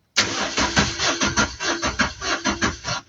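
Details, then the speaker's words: 2017 car with a crank-no-start fault, fuses and relays OK. Steady cranking at about 100 beats a minute with no firing, and no fuel at the pump line. The fuel pump has either failed or gets no current. "No fuel which is coming here. So now we are left with two things. Now it's either our fuel pump is is is um is no longer working or there's no current which is coming to to the fuel pump."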